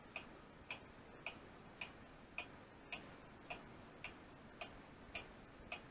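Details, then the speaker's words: Restored Seth Thomas weight-driven clock movement, out of its case after pivot work and bushing, no gong yet: crisp, evenly spaced ticks about one per second with a strong, steady beat; normal ticking. "we've got it up running hanging here that's the weight you hear it ticking i just did the count no gong yet"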